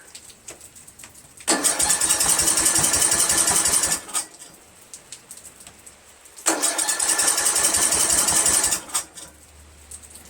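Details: 1999 Craftsman LT1000 lawn tractor, Briggs 17.5HP engine, with cracked flywheel: two spells of steady quick starter cranking with no catch; cranks but won't start.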